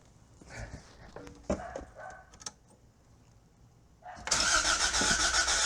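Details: 1986 Toyota MR2 AW11 salvage car after fuel tank replacement, still not getting fuel to the engine; starter spins steadily at about four pulses a second, smell of gas, but the engine cranks and never fires.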